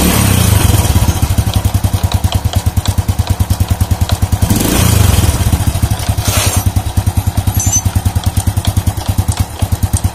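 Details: Old Honda Supra motorcycle, complaint of clattering from the clutch housing on slight throttle: loose clatter with every firing at idle, louder on a throttle blip.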